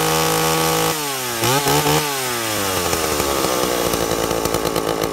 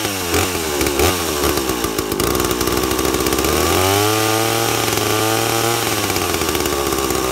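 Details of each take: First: 2-stroke chainsaw with an impulse diaphragm carburettor, tuned by ear with the high jet set slightly rich. Revs drop and settle into a steady, full-throated snarl as the chain bites wood. Carb tune correct under load. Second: Unloaded two-stroke chainsaw with impulse-diaphragm carburetor, low-speed jet already set a smidge rich; high-speed (H) jet tuned by ear from screaming lean to slightly rich: pitch sags and burbles, settling into a slightly rich four-stroking note.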